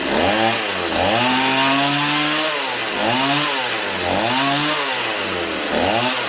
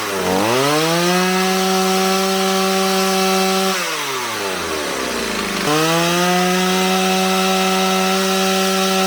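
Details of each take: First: Stihl 028 AV Super chainsaw, warmed up, after carb rebuild, tach held by spark plug: swings between idle and high revs with lazy throttle response; low-speed needle likely needs turning out slightly for crisper pickup, target idle 2400–2700 rpm. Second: Stihl 028 AV Super chainsaw after carburetor rebuild, idle and high-speed screw tuned with tachometer toward about 12,000 rpm: steady, clean full-throttle scream, dipping briefly off the cut and recovering cleanly; running great.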